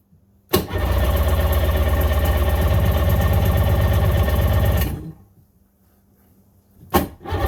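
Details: 1996 Sea-Doo GTI rebuilt engine on first fire-up, out of water, idling at about 1400–1450 rpm with a low, lumpy beat that dies and refires. Idle is too low; the target is about 3000 rpm out of water, giving about 1500 rpm in water.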